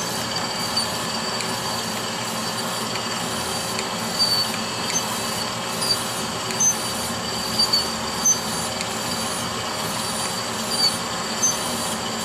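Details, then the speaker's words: Brown and Sharpe Micromaster 510 surface grinder with Walker permanent magnetic chuck, grinding steel in a spark-out pass: even high-pitched hiss of wheel on steel, only faint light ticks, no growl or rumble; spindle bearings running smoothly. "i've never turned it off since i started it's a it is a nice running piece i like these brown and sharp grinders they're heavy-duty"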